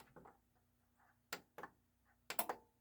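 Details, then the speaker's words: Technics SA-EX310 AV control stereo receiver (likely 1990s) on the bench: five or six crisp single and double relay clicks in quick bursts as it switches from stereo to surround modes; normal relay switching. "and it does a little pretty little light show there you can hear surround sound clicking"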